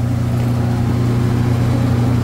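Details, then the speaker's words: Walk-in freezer condensing unit on a late-night service call, three-phase supply measuring 207 V: steady low hum, strong even drone, no cycling; compressor very hot to the touch and labouring. "That's not good. Compressor's really, really warm. That's really not good."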